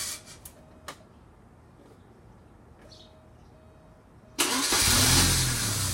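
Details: Porsche 944 951 (turbo) after head gasket replacement: after a quiet stretch the starter spins the engine over steadily but it never fires or catches; crank, no start.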